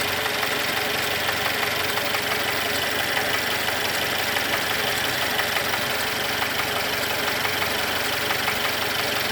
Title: м274.920 Mercedes,стук шатуна на х.х